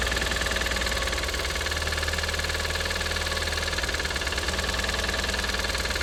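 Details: Audi TT 225 hp BAM engine at idle: fast metallic ticking about four per second, still present after replacing lifters, chain tensioner and full timing; compression 6.5, 8 and 10 bar. Cause unconfirmed.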